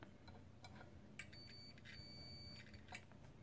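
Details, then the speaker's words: Microwave oven magnetron on a multimeter continuity test between terminal and case: a steady high-pitched beep holds for over a second, so the old terminal is shorted to the case and the magnetron is bad; the new one gives no reading. "when you test the old one, the bad one, you hear that? We're getting continuity between the case and the terminal."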